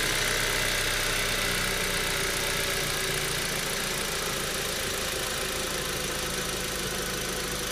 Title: 1.8 T Strange Engine Sound